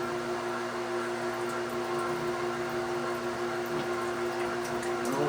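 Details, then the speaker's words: Newly installed Red Lion shallow well jet pump just switched on: quiet steady hum with faint airy churn and no water moving; pump running dry, not yet primed. "So I'm going to flip this on. There we go. It doesn't sound like it's flowing water yet."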